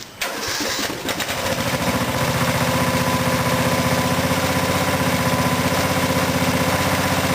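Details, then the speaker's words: Craftsman riding mower after fuel tank replacement: catches on first crank, settles into a steady, even single-cylinder thump about four beats a second, no misfires; normal start and idle. "so I'm gonna roll around the yard a little bit just make sure everything's working"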